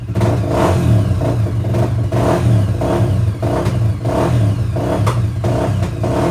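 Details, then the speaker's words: Honda XR400R rebuilt to 440 big bore, first start: runs on choke but off choke throttle goes uneven with sharp backfire pops about every second, pilot circuit running too lean; carb needs more jetting. "Okay, it started straight off, But as you can hear, as soon as I knock it off chop, it's backfiring, which means it's running too lean on the pilot."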